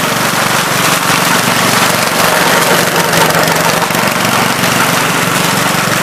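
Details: 1970 Gravely Commercial 8 garden tractor, 8 hp single-cylinder, revived after sitting a few years (earlier stuck valve), still cold before warm-up: small single putters at an even speed, no misses, stumbles or knocks; normal running.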